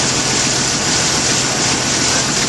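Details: 1991 Jeep Wrangler YJ 4.0 idling after fuel pressure test, regulator vacuum line reconnected, pump and regulator confirmed working: steady even idle, no misses, knocks or surges, airy engine-bay hiss.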